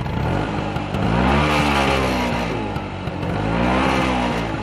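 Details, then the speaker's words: Vespa Spartan P200XE (1985) 200 cc single-cylinder two-stroke buzzing hard through mid revs, loose shaky rattle on top, mirrors shaking; strong vibration appears only at mid rpm, something possibly loose, cause unconfirmed. "Jadi dia getarannya tuh timbul di RPM tertentu aja, kayak di RPM menengah sampai RPM menengah, gitu ya."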